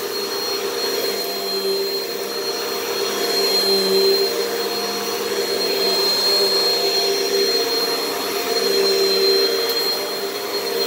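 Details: Repaired upright vacuum from a Hoover/Bissell batch with a short 18–20 ft cord: steady high whirring motor, constant tone, no rattles or scraping; the motor runs smoothly, though its brush-roll housing is warped and rubbing the brush roll.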